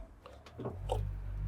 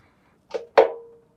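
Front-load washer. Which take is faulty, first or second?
second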